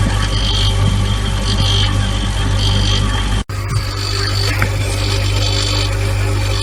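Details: Siemens fridge running with a constant low hum and an uneven buzzing layer above it; strange noise, cause unknown.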